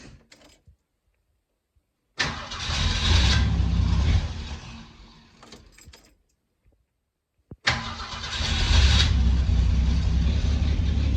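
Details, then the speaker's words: After a new distributor cap, rotor, coil, wires and plugs, the engine catches after two quick cranks but the idle surges and sags unevenly; it still stumbles at idle, so the ignition parts were not the only problem. "Still starts. I didn't make it worse. So that's something. Still stumbling. So that apparently wasn't the only problem."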